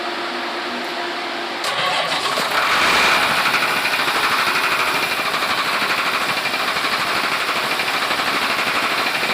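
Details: Mitsubishi 6D15 diesel before a top overhaul: starts and settles into a harsh clatter with a knock repeating about three times a second from the cylinder head.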